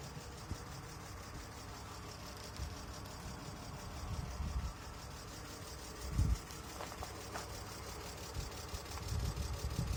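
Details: 2002 BMW E46 320 that sat unused for a year: deep uneven idle with a coarse, tractor-like clatter and periodic heavier lumps; rough running, cause unknown.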